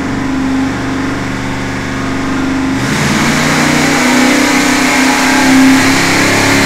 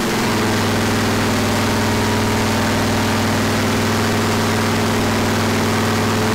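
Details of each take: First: Freshly rebuilt 461 cubic inch Pontiac V8 on dyno after break-in, first untuned mini pass: pulls up slowly under load with flat, uneven rasp and slight stumble; extremely lean everywhere, a bit hard starting; fuel pressure to be checked. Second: Freshly rebuilt 461 cubic inch Pontiac V8 for a 1974 Pontiac, first start after fixing fuel and water leaks, ignition timing checked; loud steady rumble at even idle, no knocks, misses or squeals, healthy.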